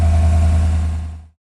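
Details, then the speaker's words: 2018 Chevy Tahoe 5.3L, about 13,000 miles, after misfire repair with spark plugs replaced and codes cleared: brief smooth, steady low engine hum with no stumble or miss, sounds a lot better; normal running. "Well, you know the drill. I'm going to clear the codes, and this should fix the problem. Sounds better. Sounds a lot better."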